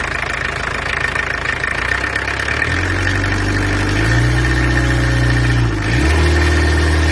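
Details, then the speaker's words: Peugeot 404 XD2 diesel: loud, clattery rattle rising evenly with two revs, noisy but steady and running nicely; normal diesel running. "as you can hear it's quite noisy but anyway it goes nicely so i'm satisfied with that"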